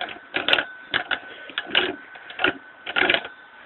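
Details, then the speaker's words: Clutch removed from a Baja DB30 / Manco Dingo minibike and shaken by hand during maintenance; loose metallic rattling in uneven bursts; owner judges the clutch broken, cause not confirmed. "So I can tell it's broken. It ain't supposed to be making that noise."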